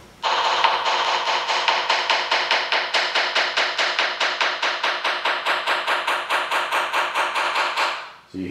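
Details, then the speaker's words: Tap test on the underside of a VHA 206L composite main rotor blade near the balance weight receptacle: light taps turn from a solid ring to a flat, dead buzz where the delamination begins. "you hear right in that area it goes from this solid sound that is buzzing sound that's all we're trying to do is determine right where that starts and right there is about the length of of your delamination"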